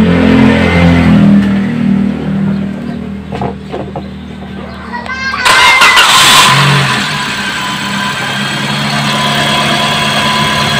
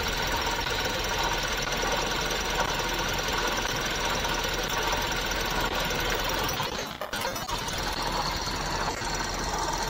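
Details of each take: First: 2017 Toyota Vios petrol engine after work on the noisy water pump: cranks, catches cleanly and settles into a smooth, steady idle with no noise from the belt area. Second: 2017 Toyota Vios engine idling: steady rough whirring and faint hiss, noise traced to a worn water pump bearing; auto tensioner also noisy; drive belt then removed to confirm.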